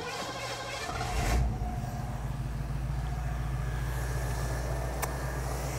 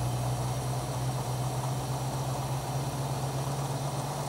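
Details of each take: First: 1967 Ford Mustang carbureted engine after tune-up for dead miss, vacuum gauge and timing checked: brief rise then steady, even low rumble with no misses or knocks; smooth, normal running. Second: 1967 Mustang with a carburetted engine, hot idle during tuning with a vacuum gauge: a low, steady idle with a slightly sagging, unhappy note while the idle mixture screws are adjusted from a 1.5-turn base; rough idle from an incorrect mixture setting.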